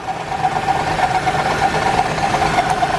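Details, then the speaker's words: Station wagon with misfire code on cylinder four, plug wire swapped on that cylinder: rough, uneven idle with a stumbling beat about every half second plus squeaking; still misfiring hard. Block replacement planned next. "now we got some squeaking yeah we're still missing we're missing pretty darn hard"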